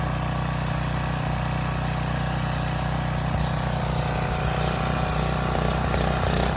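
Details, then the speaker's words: Neglected Briggs and Stratton Storm Responder generator, first run on starting fluid: small single-cylinder engine holds a steady, even drone with no misses or knocks; both 120 V legs make power, running healthy. "that worked a lot better than I thought so still some nuts flying out of there but you know what can I say it starts it runs it makes power both 120 legs seem to work fine the engine sounds good"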